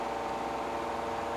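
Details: Office electric fan about 25–30 years old, after a capacitor replacement, switched to high: steady, even whoosh of air over a smooth motor hum with no ticking, rubbing or wobble; healthy.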